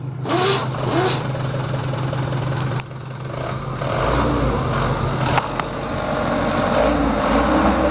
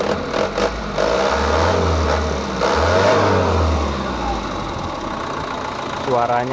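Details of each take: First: Mitsubishi Canter 110 PS diesel minibus van, factory-standard, about 3,000 km, recently bought second-hand: dull, muffled, flat and rough clatter at idle, then revving and settling; owner wants it smoother, so valves and nozzles get set. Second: Mitsubishi Canter 110 PS diesel van, stock, after ignition timing, nozzle and valve adjustment with idle raised at governor: revs rise and fall with even, not harsh clatter, no knocks; idle seems too high, to be lowered.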